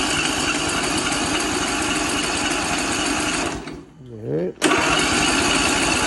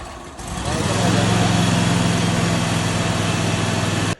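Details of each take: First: 22 HP lawnmower engine that was flooded with brackish water, freed with oil and WD40, carb refitted, fresh fuel, choked: fast, even cranking with wet, spluttering edge, no catch; water in cylinders blowing out exhaust. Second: 22 HP lawnmower engine revived after brackish-water flooding: catches after a few sputters blowing debris, then settles into a steady, even low drone without misses or knocks; normal running.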